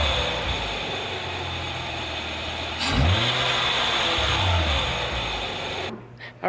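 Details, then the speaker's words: 2004 Hyundai Tiburon GT, about 80,000 miles, just fitted with a budget eBay air intake: starter whirs, catches near three seconds, settles into even idle with a touch more intake hiss. Normal start and idle. "well, I'd say all in all for $50, not too bad. We got a little bit of a sound difference there."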